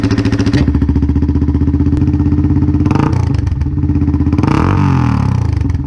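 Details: 1999 Yamaha XT225, about 20k miles, exhaust rusted out inside with rust chunks rattling, tailpipe and spark arrestor rusted away: loud blatty single-cylinder thump at idle, quick rev and settle; loud exhaust from rusted-out tailpipe.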